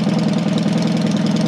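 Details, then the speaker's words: Freshly rebuilt Matchless G12 twin (replaced crankshaft, conrod, main bearing) just kick-started cold on choke, held at raised idle to warm up; even, quick pulsing beat, smooth and steady. Normal fast idle during warm-up. "warm up now when she's which is really warm she'll take over a bit faster so at the moment i'm just keeping it going a little bit"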